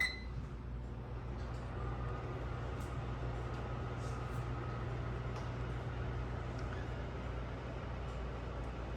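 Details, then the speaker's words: Unbranded microwave, model UMV1170LW00, running the popcorn function before its vent duct is fitted: a quiet, steady low hum with an even fan whir and no rattles, expected to get quieter once the duct is on. "it'll probably be even quieter once i get the duct torque on it"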